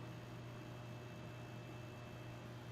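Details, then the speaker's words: Dumont RA-109 tube television, first quick power-up after long storage: a steady low buzz with faint higher tones from the vertical output transformer working; no horizontal section sound heard. "you hear that vertical output Transformer right there"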